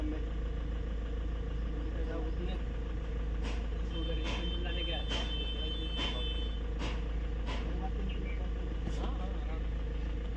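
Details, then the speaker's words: Mahindra Scorpio BS6 diesel after timing repair (timing had slipped after push-start, rear cam broken); quiet, steady idle with no knocking or chain rattle after repair. "Start हो गई है गाड़ी देख सकते कोई भी आवाज नहीं गाड़ी में"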